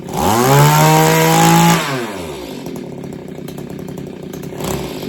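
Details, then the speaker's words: Roughly 30-year-old Mantis two-stroke tiller revived after sitting 10 years: revs high and crisp, then drops cleanly to a steady fast-ticking idle; idle still needs slight adjustment but it runs great. "That thing idles for a while, okay? And it runs great."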